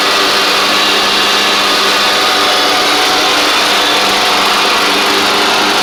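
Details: Craftsman DYT4000 riding mower after repair, running: steady, even engine drone with constant note, no knocks or misses; charging the battery, drives and blades work; running properly.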